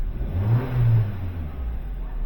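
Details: 2021-2024 Kia K5 1.6L turbo GDI engine after an oil change and code clearing: revs rise and settle smoothly with an even, steady idle between blips and no hunting or stumble; rpm solid, engine healthy.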